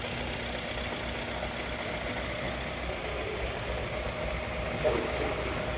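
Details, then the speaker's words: Mahindra Scorpio idling with a rough, uneven rumble and faint whir from a failed gearbox bearing. "या gear का आवाज है बरिंग बरिंग"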